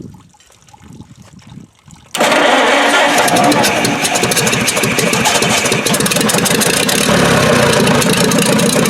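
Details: Dozer T4 engine, first start after rebuild and reinstallation, with ignition timing set, head re-torqued and valve gap set, and no coolant in it yet: it catches at once and settles into a steady, even run with no knocking or misses, sounding healthy.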